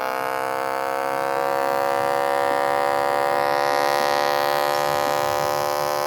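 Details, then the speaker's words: HP laptop speaker playing a WhatsApp voice message: voice barely audible under a loud steady electrical buzz. "My voice is barely audible, whereas a loud buzzing sound can be heard in the background."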